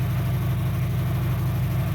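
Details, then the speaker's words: 2003 Dodge Neon 2.0 with a new timing belt and rebuilt head; 190 psi on all four. A low, slightly lumpy idle that stays the same with the plug lead pulled, showing that cylinder is already dead. The coil failed on two cylinders. "Yeah, so these coils here are dead. 2 cylinders. So that means it's running on 2 cylinders."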